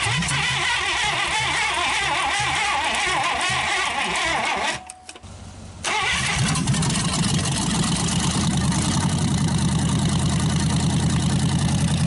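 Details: Packard 374 cu in V8 after carburetor cleaning and oil drain, run from temporary overhead fuel tank: cranks, catches, settles into steady even idle, no longer skipping, on all 8 cylinders; still smoking from oil in intake.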